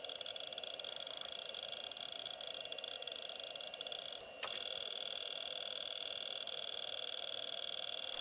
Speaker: what a lovely sound so this hard drive is okay on to the next